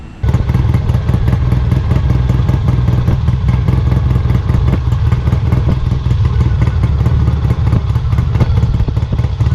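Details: Kawasaki W1 twin, after carb idle adjustment attempts: thumps unevenly at low idle with a loose clatter, struggling to hold speed without choke; owner suspects an air leak or a fuel delivery problem, carb coming off again.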